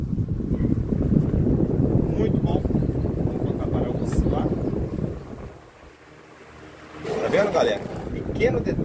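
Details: Arno Laveo fan switched on after repair; a worn rear bearing bushing had overheated the motor and opened the thermal fuse, and the bushing was replaced: steady airy whoosh with even drone, no rattle, scrape or knock; normal running.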